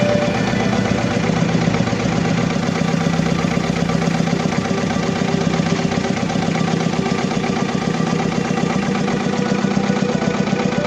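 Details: Diesel engine with low power, black smoke and engine vibration, fuel system needing repair: lumpy uneven idle about 2.5 pulses per second, shaking; misfire with engine vibration.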